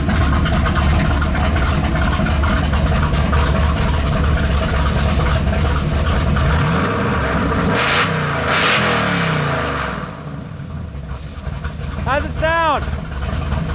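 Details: 451 cu in Mopar big-block stroker (B-series 400 block, cast-iron "Motorhome" heads, carbureted) on a dyno, full-throttle pull: strong, even roar holding steady with no misfire or stumble; float/carb issue gone, power picked up, running cleanly.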